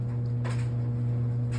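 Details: GE washer on final spin: loud jet-turbine-like screeching, steady motor hum with a thin tone and harsh rushes about once a second; owner suspects the tub bearings are going out.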